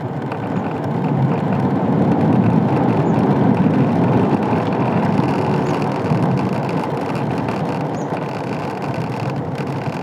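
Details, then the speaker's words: Ola S1 electric scooter after service replaced the dashboard parts (rattle began after a 160 km trip on a rough road), riding the same route: only steady road and wind rumble, no ticking or buzzing from the dash; fixed. "जो थोड़ा बहुत आपको सुनाई दे रहा है mic में वो actually आपके कानों में सुनाई नहीं देगा बट आप माइक में नहीं यहां पर पकड़ा हुआ था इसलिए तो आपको थोड़ा सा नॉइस सुनाई दे रहा था तो एक्चुअल में वो नॉइस आपको सुनाई नहीं देने वाला है"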